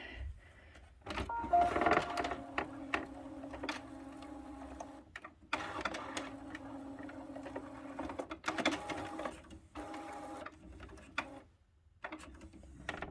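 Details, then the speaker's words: HP 6520 printer that doesn't print black ink, during the final fix: short whirring carriage runs with soft clicks and pauses, smooth, no grinding or skipping; carriage moving normally to access ink cartridges. "Alright, that seems to be functioning properly for accessing ink cartridges."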